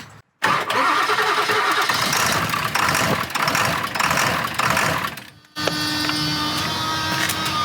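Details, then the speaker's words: 1999 Ford F250 7.3 diesel with Archoil AR9100 added, hard to start, a relay suspected not working: long laboured cranking of about five seconds, a pause, then it catches and settles to a steady idle with plenty of smoke. "All right, so I don't know, we give this what, like 6-7 seconds or so? We'll see if we'll start."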